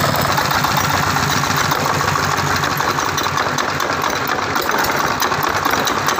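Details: Tiger 24 (D24) single-cylinder diesel with radiator fan and electric start, copper radiator: loud, even rapid chugging at steady beat, no knocks or misses; normal idle.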